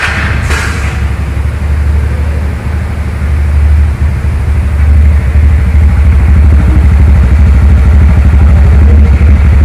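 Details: TVS NTORQ scooter after the loose one-way clutch nut that caused abnormal noise was refitted and transmission oil filled: smooth, even low idle with no clatter or rattle over the steady engine hum; noise problem solved.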